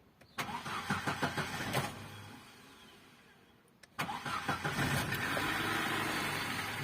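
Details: Opel Corsa Z14XEP that had been cranking with no start and engine check light on, after repair with the fuel pump heard priming: short crank, pause, then catches on the second try and settles into a steady even idle; problem solved.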